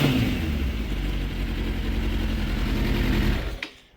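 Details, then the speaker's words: 2006 Suzuki GSX 600F Katana with iridium plugs, after turning the carburetor mixture screw in half a turn; idle is stable around 1200 rpm. Revving still gives black smoke and a sharp pop on throttle close, so the mixture is still too rich. "when I rev it, it still kind of puts out black smoke, and it kind of made a spark, if you heard that. So I gotta turn in the screw a little bit more, I think."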